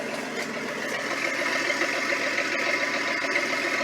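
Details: Ford tug, ex-military, 306 engine, first start after a new starter: loud, raspy, uneven idle with sharp popping crackle and visible flame, no muffling; sounds like an open header with no exhaust or donut fitted.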